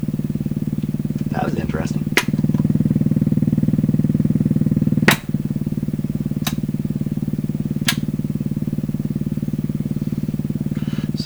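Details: Canadian Pye Model 39HC radio at low volume breaking into oscillation; steady low hum with fast uneven put-put pulsing and sharp clicks, motorboating, strong hum feedback on phono and radio settings; owner thinks a capacitor charging, cause unconfirmed.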